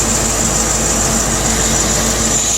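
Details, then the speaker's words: C4 Corvette idling after its water pump was replaced: steady, even idle with a constant low pulse and no knocks, ticks or squeals. The earlier rattle noise is gone and there are no leaks, so it sounds healthy. "Can you listen to that? See how quiet it is? No rattles."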